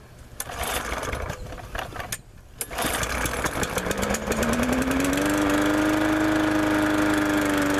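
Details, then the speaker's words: MTD lawnmower cold start after sitting unused a year, carburetor not drained and overflowing: sputters and stumbles a few seconds before catching and holding a steady drone; carburetor flooding. "well it fire it up but as you can probably tell it's got some carburetor issues might have to look into it just a little bit here"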